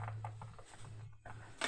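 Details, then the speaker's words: Music Masters Wagner valve radio powered through a dim bulb tester, 6V6 heating: irregular sharp crackles over a faint mains hum that change when the loose valve socket is pushed, an intermittent contact. "What is going on with this socket? We got to Let me just pull that out. Oh, the socket's loose. You watch when I push it down. See? Look. Yeah, it's loose."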